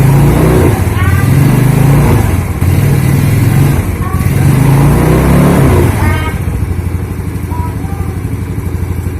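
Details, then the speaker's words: Yamaha Mio Sporty idling after fitting Daytona carbon kevlar CVT clutch shoes, replacing worn original shoes that slipped: even putter and a few steady blips, no whirring, rattling or grinding from the CVT. Healthy. "Oke, untuk suara juga di area CVT juga tidak ada suara yang mengganggu."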